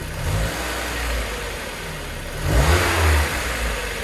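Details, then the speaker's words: 2000 Mazda Miata NB, 119,000 miles, after ATS 505 oil treatment and new oil, start and revs: faint, irregular light tick remains on top end; owner suspects lifters, treatment gave little improvement. "it wants to be it wants to be quieter I know this engine wants to be quieter but um I just don't think that this stuff worked as good as I wanted it to"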